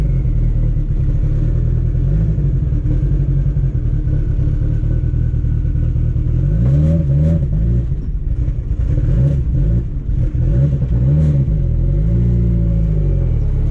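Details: Car test-driven at low power after a CV axle and driveshaft fix: a deep, steady engine drone rising and falling smoothly, with no thumping or shudder. The driveshaft feels smooth with no vibration, a normal drivetrain.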